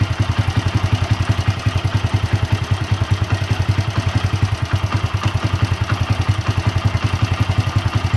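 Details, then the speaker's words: Honda Win motorcycle at idle: a fast, uneven metallic clatter of about three or four raps a second over a steady low idle, clearly a loose worn cam chain (keteng) rather than valve noise; the cam chain is being replaced. "ini jelas banget si keteng ya, karena bunyinya gitu seperti itu."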